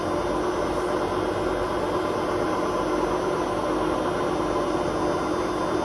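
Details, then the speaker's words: Hotpoint WMA32 washer at 600 rpm final spin with bad drum bearings, before bearing replacement; steady, gritty roar with bumping, clattering bearings and no squeak this time. "Don't squeak this time, but the bearing noise. You can hear the bearings actually bump, like, what they call clattering a"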